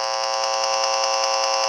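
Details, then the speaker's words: Tracer amplifier probe held to a switching power supply: a harsh, steady buzzing tone with a fast pulse from ripple radiating off it. A similar switching supply measured for comparison was much quieter. "it's another switching power supply it doesn't Ripple like the other guy"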